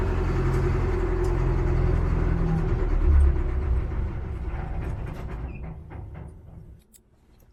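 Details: Cat 215 excavator diesel after brake seal replacement: cranks with an even chugging beat of about 3.5 per second but never catches, because it is very low on fuel; refuelled before the next attempt; crank no start, out of fuel.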